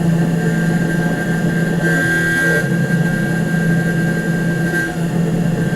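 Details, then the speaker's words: Nomad 883 desktop CNC mill cutting a small test gear with 1/8 and 1/6 inch end mills, lubricant applied: steady buzzing hum with higher ringing tone throughout the cut; end mill chatter, though edges look okay. "the good news here is that the edges look pretty good I mean you can hear there's chatter but the edges look okay"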